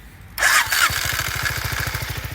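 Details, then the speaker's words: 250 NK motorcycle at 133,000 km: short harsh starter whir on cranking, a known problem on this bike, then the engine catches and settles into an even putter; starter noise on starting. "bu motor özelinde şöyle bir problem var motor 133.000 kilometrede motoru çalıştırdığımızda marş motorundan bir ses geliyor"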